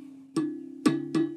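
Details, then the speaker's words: Vox AC15C2 guitar amp with howling oscillation: tapping the control panel sets off a sustained hollow ringing through the microphonic output tubes, and loose jacks make it worse. New output tubes fixed it. "that is an unhappy chappie let's power it off even just turning off the power switch you can hear it ring through those tubes"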